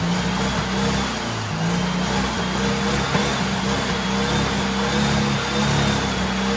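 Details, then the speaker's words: Turbo carbureted Porsche 930 rat rod after new carb install: strong, even engine note on boost, about 8-9 psi, no knocks or misses; healthy running, though owner notes a remaining fuel issue. "oh my god i'm so happy that [ __ ] thing sounds awesome"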